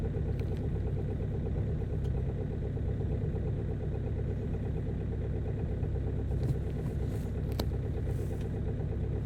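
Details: Ford Focus 2.0 TDCi idling after a hard cold start following a night at about -18 to -24 °C: steady, even diesel clatter with low rumble, running smoothly.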